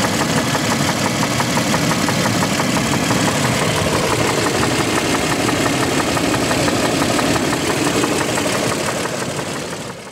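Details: 2007 Toyota Land Cruiser Prado 120, 1GR-FE engine: a steady knock, about three per second, taps over the idle in step with engine speed, audible outside but not in the cabin and fading as revs rise; source not yet pinned down.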